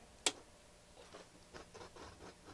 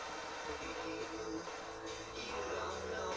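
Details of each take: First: Sansui G-3500 receiver powered on during a service: a sharp click, then irregular scratchy crackles as the controls turn, from dirty potentiometers. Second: Sansui G-3500 receiver on the service bench, with no antenna connected and scratchy pots: an FM station plays clean and full with no hiss or dropouts, locking stereo easily; the tuner is very sensitive.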